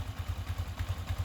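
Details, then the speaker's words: Yamaha Sniper V3 after cam and rocker arm parts replaced to cure ticking, idle stable: even low thumps about seven per second, smooth, no ticking or clatter from cams or rocker arms; normal idle. "Kagandahan dito is naayos ko na rin yung makina. Tahimik na. Wala na yung mga lumalagitik dun sa part ng kanyang cams saka sa rocker arm."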